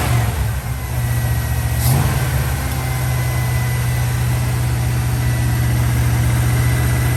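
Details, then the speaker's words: 1969 Dodge Dart V8 idling after a cold start while warming up for the choke to open: low, uneven idle with a lumpy, stumbling beat, running rough. Owner says it has a burnt valve or two, not fixed. "it's definitely got a burnt valve or two but there's nothing i can do about that right now"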